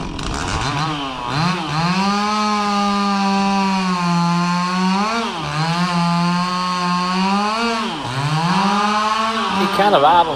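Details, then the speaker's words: Stihl 026 two-stroke chainsaw cutting pecan: pitch sags under each cut and climbs back slowly after the trigger; slight bog on throttle-up, slow idle-down; owner questions the tune, cause unknown. "of idles down slow, and it also throttles up just a little bit sluggish right in the beginning."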